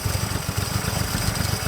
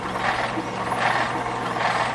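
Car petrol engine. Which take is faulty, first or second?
second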